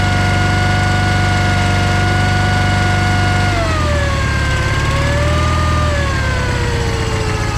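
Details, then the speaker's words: John Deere 318 lawn tractor that stalled and wouldn't crank, started by jumping power to the starter with key on: runs steady, then the note drops and wanders as revs settle; starter good, a safety switch blocked cranking. "You could see I ended up getting it running when I jumped power to the starter and had the key on."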